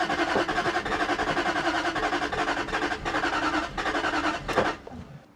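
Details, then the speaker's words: 2001 Jaguar XK8 coupe that hasn't started in 10 years: the starter spins it briskly and evenly at about three turns a second, but the engine never fires; bad earths or battery condition suspected. "No, I mean you can hear how much it's flicking over."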